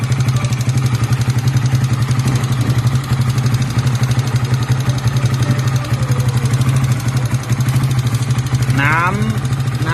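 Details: Honda Sonic 125, hard starting and won't rev, rebuilt on a tight budget: idles with busy clattery valvetrain ticking on top from a worn rocker arm and cam left unrepaired; valvetrain ticking.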